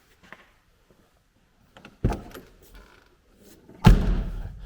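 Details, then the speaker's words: 1979 Porsche 924, passenger-side door closed after driver-side hinges were repaired: two firm deep thuds with a clean latch click and no rattle; a solid sound, better than the gutted, tinny driver door. "that one there sounds a little better than the other side like that's that nice solid sound eh"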